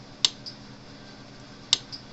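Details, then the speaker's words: Cyclops Master AC fence charger, 27 stored joules, output measured at roughly 9,000-12,000 V, with the ground side held very close to the hot terminal. Two sharp snaps about 1.5 seconds apart: a normal pulse and spark, and the unit is working. "test the ground side and get really close to the hot god damn yeah it's working"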